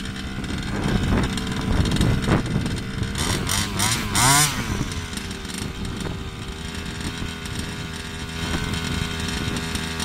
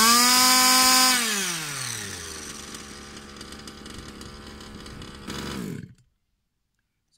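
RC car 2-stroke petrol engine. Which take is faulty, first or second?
first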